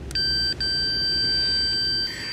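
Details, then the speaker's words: 1972 Kimball Swinger 1000 organ repair: multimeter gives a steady continuity tone with a brief break as probes shift, showing capacitor C7, an emitter bypass cap, shorted and killing voltage to the first transistor. "this is the one that's shorted right here this is the one that's shorted c7 so it's killing the voltage to the first transistor"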